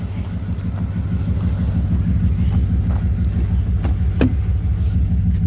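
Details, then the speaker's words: 1998 Dodge Durango single-cam V8 idling after timing chain replacement for a P0300 misfire; freshly started, coolant cap off. The idle is steady with a smooth low beat of about three per second and no knocks or ticks. A timing light confirms timing is right on. "good so she is right on time I'm going to call that a good fix"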